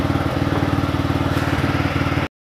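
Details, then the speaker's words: Motorcycle with total ignition loss when the engine is hot, after replacing the spool (stator coil); steady, even puttering of about nineteen beats a second, smooth warm idle without cutting out, repair apparently successful. "Oke, setelah sekian cukup lama ya, kita nyalakan dan mungkin sudah berhasil ya lur. Ini masih belum mati ya, mungkin sudah berhasil karena tadi sudah diganti spool ya."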